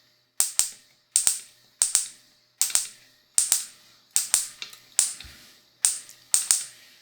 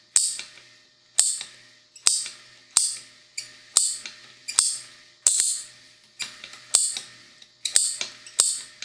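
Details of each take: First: Honda Civic D15B carbureted distributor on a bench test with a 12 V battery, external module and test spark plug: sharp, crisp spark snaps in quick pairs about once a second, strong with no misses; healthy coil and spark. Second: Bench test of a carbureted Honda D15B/D16 distributor with the coil wired as it came from the factory: sharp, uneven spark snaps about once a second, one with a squeal, meaning the coil is wired wrong.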